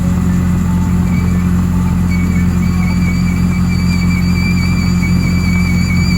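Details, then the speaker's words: Bobcat T870 track loader, left side: steady low hum with faint high squealing, nothing rhythmic, from the left track drive. Owner hoped for the rear idler, but the drive motor was worn out and had to be rebuilt. "you can tell that something was wrong with this operator's left side so the first part of this video gonna try to diagnose what that noise is and where it's coming from"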